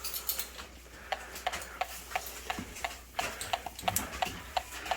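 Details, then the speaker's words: Portable gas sniffer (Techamor Y201) checking a newly installed gas stovetop line: soft, steady ticks about 1.5 per second with no rise to an alarm, so no gas leak detected. "you can hear the ticking going on but what we do is we check 360 degrees and if this thing starts screaming we know we have a gas leak"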